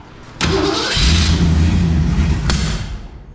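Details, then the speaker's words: 1965 Mustang Fastback abandoned 40 years, hot restart after running out of gas and refuelling, overheating work: catches quickly, runs rough about two seconds with a sharp pop then dies; owner calls it a lean pop needing gas. "Yeah, it's a lean pop, so it needs gas."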